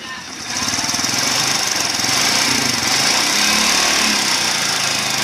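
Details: Yamaha Crypton 110 motorcycle, 9,269 km, timing chain recently replaced: fast loose clicking over a buzzy engine run, worse when warm and after hard acceleration; timing-side gear seen wobbling as if off-centre, cause unconfirmed.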